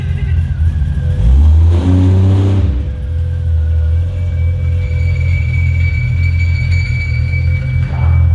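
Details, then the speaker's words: Ford Fairlane drag build starting after dyno session with new mods: quick catch, short rev, deep steady burble settling to even idle; starts much better than before. "What the hell? It starts so much better. It starts so much better."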